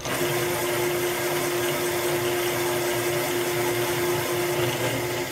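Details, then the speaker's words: Honda CB750 cylinder being bored from 61mm to 65.5mm (750 to 850cc) on a Cycle Cyl boring bar, limit switch released to cut the last bit; steady even cutter-motor hum without chatter, bore cut finishing cleanly and normally. "you can hit this button and cut the last little bit like okay watch I'm gonna hit this button and listen for it cutting"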